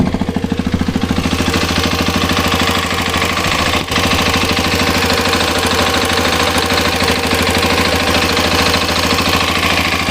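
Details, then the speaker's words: Hero Xpulse 210 at 2,841 km, noise began around 2,600 km, mic near the cylinder head: steady fast ticking over lumpy single-cylinder idle, about three taps a second, sounding like a tractor; tappet noise from valve clearance, awaiting service center. "Sound ಹೇಗಿದೆ ಅನ್ನೋದು ನಾನು ನಿಮಗೆ ಕೇಳಿಸ್ತೀನಿ ನೋಡಿ ಈಗ ಟ್ರ್ಾಕ್ಟರ್ ಟ್ರ್ಾಕ್ಟರ್ sound ಇದೆ"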